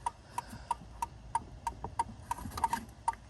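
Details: Ford Escape with 284,913 miles, turn signals working intermittently while the hazard lights work: crisp, even flasher clicking at about 94 per minute that stops when the blue relay box under the dash is wiggled; a shorted wire there is suspected.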